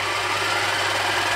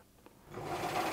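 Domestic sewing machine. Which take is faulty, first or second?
first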